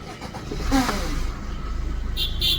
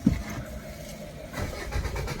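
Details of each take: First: Maruti Suzuki Swift/SX4 diesel with a no-start from an immobilizer key light flashing (unmatched key), restarted after the transponder chip was refitted in the key: brief crank, quick catch, steady diesel idle; it now starts normally. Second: Maruti Suzuki diesel car (SX4/Swift) won't start after sitting at shop: starter cranks at normal even pace, fuel pump heard, key/immobilizer light flashing, engine never catches; transponder chip immobilizer block.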